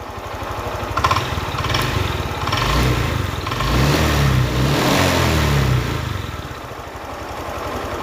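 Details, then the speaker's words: Honda Click 125i scooter after water pump replacement, with stalling at idle and no acceleration; valve adjustment didn't help, fixed by resetting values: idles evenly, revs cleanly and settles without stalling; remaining noise is the clutch bell bearing, judged acceptable. "นี่คือปกติแล้วนะครับส่วนที่ดังคือดังในลูกปืนชามคลาสนะครับก็ไม่เป็นไรครับ"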